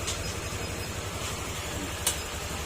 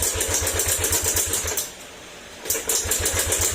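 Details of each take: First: Yamaha Aerox 155 scooter, long stored, that would not start and ran noisy: now idles with an even, steady putter and no ticking or clatter. Running quiet and healthy, though the damaged fuel pump still needs replacement. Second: Yamaha Aerox 155 that sat stored a long time and reportedly ran out of oil; it won't start and the engine is noisy. Rapid, uneven clatter while cranking, about four beats a second, with a brief pause, from valve train/low compression.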